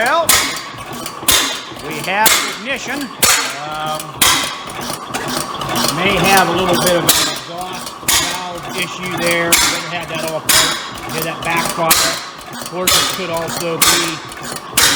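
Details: Rare old Bovard & Company engine started by holding the intake valve open to spin the flywheels: uneven loud pops about once a second over clanking, with one sharp bang suggesting a backfire, likely exhaust-related.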